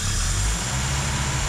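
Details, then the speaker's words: Mercedes W115 after a hot compression test, air filter off: engine picks up cleanly and evenly when throttle is opened, deep steady drone without misfire or hesitation; healthy throttle response. "takes the throttle takes the throttle lovely can't complain with that"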